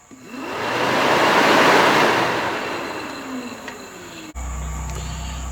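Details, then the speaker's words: Nissan Maxima radiator cooling fan, removed during radiator replacement, bench-tested with all four connections made for high-speed mode: strong smooth air rush builds and holds with no scraping, ticking or wobble; normal high-speed running. "now i'm going to test the high speed so i've got all four of the uh the connections made as if it was going to be in the high speed mode of the fan you can definitely hear it kick in"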